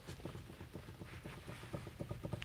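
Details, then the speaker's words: Front wheel on the driver's side, hand-spun, gives a rough rhythmic low knocking of about eight beats a second. The car thumped at highway speed and felt up and down when driven slowly. Worn wheel bearing, needs replacing. "hear that so it needs a new wheel bearing on this"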